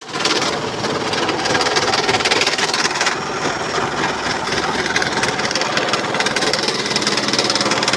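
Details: Panasonic front-load washing machine during spin: harsh, gritty grinding with an uneven rattling beat, rough grinding in the drum; cause unconfirmed.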